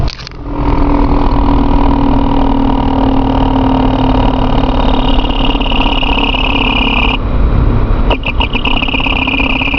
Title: Loud noise from tranny area again.